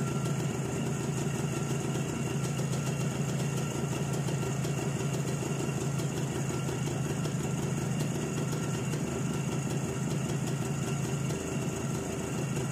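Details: ČZ 175/450 two-stroke motorcycle, first real start after fitting a Vape 6V contactless ignition (SZ14): fast, steady beat holding an even idle with no misfires or rattles; engine runs normally.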